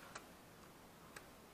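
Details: Kodak Z981 camera during power-button repair and reassembly: two crisp, light clicks about a second apart in a quiet room; the power button switch actuates cleanly and normally.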